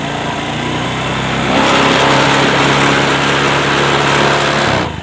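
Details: Honda Click 125 scooter with a sticking throttle: the throttle body was stiff and rusted inside. The engine climbs to a high, steady buzzing rev and holds there untouched before dropping, so the idle hangs far too high; a sensor is suspected next, unconfirmed.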